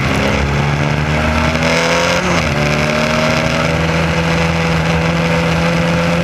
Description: trying to race with a misfire caused by a distributor wire getting pulse signals from the electric fuel pump.